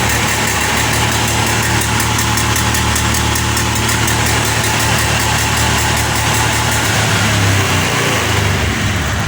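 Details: Honda Beat eSP FI revved to full throttle stutters roughly; MIL blinks 8 times, the TPS code, when throttle drops back, yet TPS sensor tested normal; previously unrepaired at another workshop.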